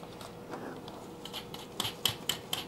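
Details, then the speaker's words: 2008 VW Mk5 GTI during timing belt and water pump replacement: the old idler roller, spun by hand, gives a quiet gritty rasp with sharp clicks about four a second from a worn bearing. The rollers are being replaced. "roller down there it doesn't sound the greatest we'll go ahead and get those out while we're here"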